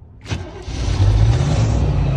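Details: 1988 Chevy G30 motorhome at 53,000 miles, started after an oil change: catches cleanly and settles into a smooth, steady low rumble with no knocks or ticks; quiet, healthy start.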